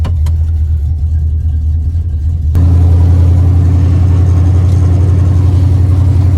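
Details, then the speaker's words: 1978 El Camino, 357 small block Chevy with TH400, cold at about 500 rpm idle: deep lumpy V8 idle with a puffing chuff each beat; exhaust leak at the collector weld on both sides, not the gasket, to be welded. "both sides actually it's where the weld is it's I'm going to get somebody to weld that up but that's what the exhaust leak is it's not a [Music] gasket you can hear it down there"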